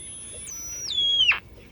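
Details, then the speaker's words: Vintage Sunmark 10-transistor AM/FM pocket radio with broken antenna and bad electrolytic capacitors (AVC filter squeal, low audio): whistling tones glide down as the AM dial turns, then cut abruptly to faint hiss as the local oscillator stops. "the oscillator just stops right there see let me get an antenna"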